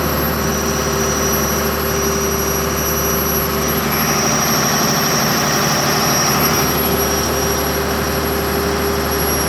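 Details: Cummins 6BT diesel generator under load test after repairs: constant-speed diesel drone holding perfectly steady with a faint even whine and no knocking; normal running under load.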